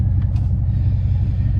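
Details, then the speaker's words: Van with 3-inch exhaust, a pipe section that fell off and was not yet repaired: loud, deep, raw, unmuffled rumble from the separated exhaust pipe, like a badly done hot rod exhaust. "I can deal with the noise. You guys know I like hot rods, so if anything, I'm just putting it in my mind that it sounds like a horribly done exhaust on a hot rod."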